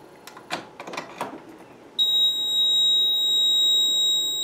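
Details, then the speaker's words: Fire alarm control panel during ground-fault troubleshooting: after a few clicks, a steady piercing trouble tone sounds because the signaling line circuit was disconnected and the loop devices stopped communicating with the panel. "I'm going to get troubles cuz my devices are no longer communicating with the panel"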